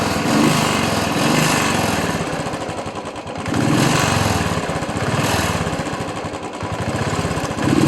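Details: Royal Enfield Bullet single-cylinder at idle after rain: thump stumbles unevenly, beats dropping out and surging every second or so; misfire from water entering the carburettor fuel, fixed by draining it.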